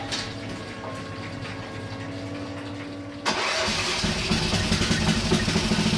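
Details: Hinowa tracked minidumper gasoline engine after repair and a re-welded fitting: quiet at first, then catches and settles into a steady, even run with no knocks or rattles; healthy.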